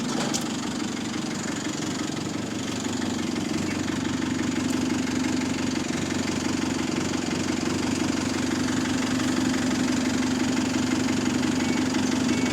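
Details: Diesel buses (GAL SEN18 and GAL WVL413) idling: steady hum with quick, fairly regular ticking about three a second; small exhaust leak suspected, not confirmed.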